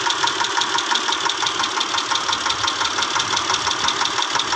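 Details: 2010 Mitsubishi Pajero, 6G74 V6, at idle: crisp, regular tapping near three per second over the engine; engine knocking, cause not pinned down.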